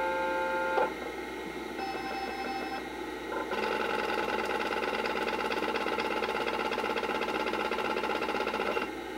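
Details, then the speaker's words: Macintosh Plus external SCSI hard drive (likely replaced unit) spinning up before boot: rising whine, then fast busy chatter of about four ticks a second; unusual sounding but no signs of failure, runs perfectly. "also one of the most unique sounding drives I've ever had um it shows no signs of failure it runs perfectly fine but listen to it start up as we boot up the machine"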